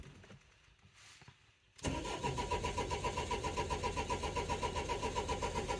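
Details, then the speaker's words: 2004 Renault Trafic 1.9 dCi diesel crank-no-start: steady cranking about four beats a second, never catches; diagnostics show engine synchronization not achieved, fault code DF195, suspected timing signal issue. "but either way it looks like we've got an issue with the timing on the engine"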